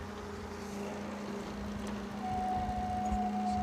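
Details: A 1993 Wollard TML704 maintenance lift with a Ford 4-cylinder gas engine and 6516 Hobbs hours: a quiet, steady engine hum with a constant low tone, rising slightly, with no knocks or misses. It idles normally.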